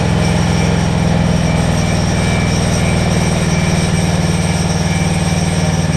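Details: Generac 7500EXL generator with the low oil switch unplugged: steady, even drone with a hum pitched a bit high and no hunting, reading about 130 instead of 120; governed speed set too high, throttle stop later backed off with an 8 mm deep socket.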